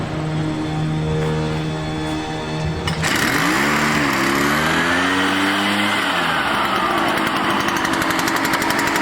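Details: Echo PB-500T backpack blower after rebuild and carburetor tuning; previously would not idle and bogged when throttled: the small two-stroke fires and settles, then its buzz climbs smoothly as the throttle opens, with no stumbling; the blower runs properly.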